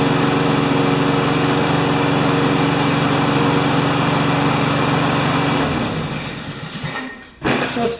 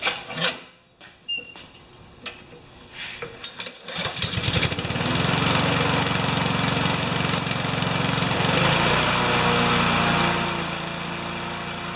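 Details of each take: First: Honda GCV160 mower engine, owner said it ran either flat out (~6,000 rpm) or ~2,000 rpm, before governor adjustment; needs tune-up, air filter deteriorated. Small single runs steady and even but a touch slow and low; engine speed slightly low. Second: Honda GCV160 mower engine, next-day cold start after washing and fresh gas, before governor adjustment: a few pull-cord tugs, then the single cylinder catches at once and settles into a steady, even run.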